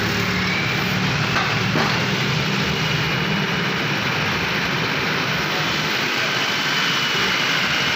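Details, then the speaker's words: Suzuki Cultus after tappet adjustment, spark plugs, carburetor and points checked: even, steady running with no tapping or misfire; the engine sounds healthy and settled. "ये देखिए माशाल्लाह गाड़ी स्टार्ट है, बिल्कुल स्टिल है, साउंड ज़बरदस्त है।"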